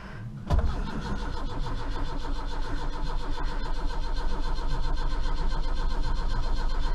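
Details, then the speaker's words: Austin Maxi first start after about three months stored, battery of uncertain condition: long reluctant cranking at a steady pace without firing; owner suspects the points need cleaning. It then pops, running on a few cylinders. "oh yeah is she gonna go or she not well if it's the points need to clean oh [Music] she's trying she's trying she's running on a few cylinders she's trying she's popping a bit"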